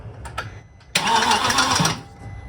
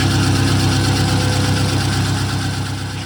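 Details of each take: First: VW Passat W8 4.0L manual, replacement engine just installed, first few-second test start: short crank, then harsh, clattery, uneven running before shutdown; sounds as if timing is out, thought to be dry parts; rough first start. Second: VW Passat W8 4.0L manual 4motion, freshly installed replacement engine (old one suspected of a failed big end) on first runs: rough cranking, then catches and runs steadily with a few smooth revs; "stuff is dry"; normal running.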